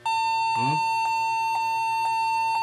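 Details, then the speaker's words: Lenovo G40-80 (80KY) laptop, beeps when Next pressed at Windows logo: steady unbroken mid-pitched long error beep; keyboard suspected, to be removed to check; memory also questioned, unconfirmed. "So may problema tayo ah Siguro tanggalin muna natin ang keyboard niya tingnan natin kung sa keyboard nanggagaling yung tunog"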